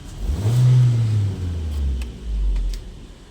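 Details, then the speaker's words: Petrol car after fixing cylinder 4 misfire (coil/plug checked, code cleared, check engine light off): engine idles with a steady low hum, no stumble or heavy vibration, even with air-conditioning on. "Ayan, maganda na yung kanyang idle oh. kahit naka-aircon Ja."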